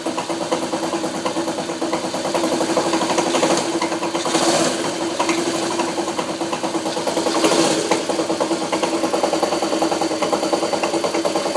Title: Honda cm91 engine rattle bad sound